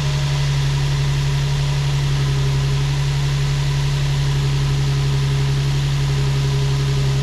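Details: Nissan 350Z with a newly fitted 3D-printed ABS intake (velocity stack, MAF sensor, valve-cover breather fitting), coupler unclamped, first start: steady even idle with low drone and faint hiss; settles fine, no check engine light, a small vacuum leak is possible.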